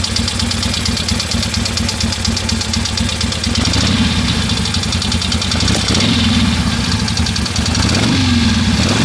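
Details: 1973 Harley-Davidson Ironhead Sportster at an uneven, loping idle with a steady tapping knock from the front cylinder on each firing pulse; owner thinks it needs a valve adjustment, unconfirmed.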